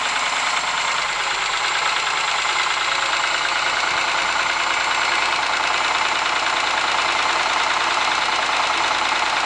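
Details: Ford Sierra engine at steady idle with a persistent, uneven knock at roughly three per second over the engine note; cause not pinned down.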